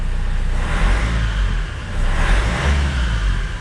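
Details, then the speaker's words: Vauxhall Vivaro diesel van on test drive after EGR valve cleaned and deleted: steady low rumble with two gentle rev rises, no knocking or misfire; sounds and feels no different from before. "Doesn't sound any different. It doesn't feel any different."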